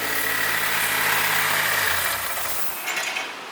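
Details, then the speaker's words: Nissan S14 Kouki just started for the first time after an engine swap (no motor a few days earlier) and started right up: an even idle with a steady rhythm and a faint high hiss, no knocking, running normally. "Try to crank it. Yeah. Started right up. Nice work, Richie. Nice work."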